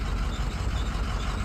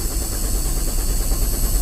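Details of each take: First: Cummins 5.9L diesel in a sweeper, after a crank-no-start: shorted intake manifold sensor had cut the 5 V sensor supply, and with it unplugged the engine fired right up; deep, steady rumble, even idle, no misses or knocks. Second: Cummins 5.9L diesel in a sweeper, check engine light on: starter grinds at a steady even rate for several seconds without firing; crank, no-start.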